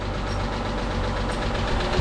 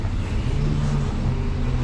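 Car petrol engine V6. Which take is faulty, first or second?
first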